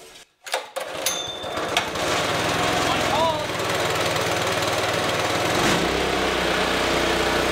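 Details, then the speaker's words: Greens iron lawn roller's small gasoline engine after full teardown, cleaning and reassembly, with fresh gas and a cold October start on choke, drive belt off: a few pops, then it catches and settles into a fast, even chatter; it runs fine. "runs decent so let's put the belt on"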